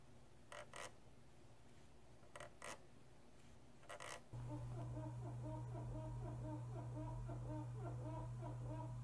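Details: Thrustmaster T300RS servo base, squealing started after about 1.5 years of use: short high squeaks as the wheel turns, then motor hum with rapid chirping; dry shaft rubbing plastic.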